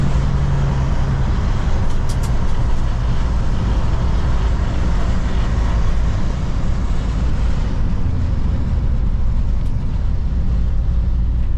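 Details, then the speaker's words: 1977 Jeep Cherokee Chief after a new ignition and a rebuilt carburettor: steady, even deep rumble with no misses or stumbles as it pulls; normal acceleration, sounding much better. "see if it runs any better [Music] it's already sounding better"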